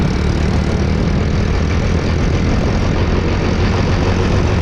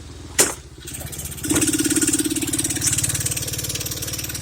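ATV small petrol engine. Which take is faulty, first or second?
second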